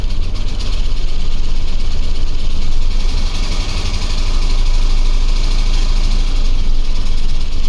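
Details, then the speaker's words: OBS Ford crew cab pickup, first start with a fresh battery; heavy, uneven rumbling idle with loose knocking despite fine oil pressure and battery voltage, lots of oil on the dipstick. Possible bottom-end problem, unconfirmed. "I'm really terrified that it's just going to explode all over the driveway the oil pressure looks fine the battery voltage is fine everything looks okay it just sounds like it wants to not be in the engine bay anymore"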